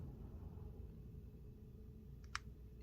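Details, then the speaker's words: Brand-new Miyoo Mini Plus handheld console: a single sharp click pops from its small speaker at power-on, over quiet room hum; the screen flickers too, and all units do it, also at shutdown. "So you got a pop and a flicker. And they all do this. And it's very annoying."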